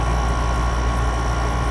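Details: Haier 5,000 BTU window air conditioner HWR05XCK-L, owned since about 2011; lights dimmed as the compressor started and its tubes ice up a little: steady low hum under an even whoosh with a faint high tone, no rattle or surging; compressor running normally.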